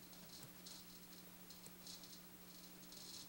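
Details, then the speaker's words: Ernie Ball Music Man StingRay bass through an amp, retested after resoldering a bad connection: irregular scratchy crackles and static bursts over a steady low hum, scratchiness remains, pot may need replacing. "will see if it helped fixed it but I'm not sure yeah see that scratchiness is still there"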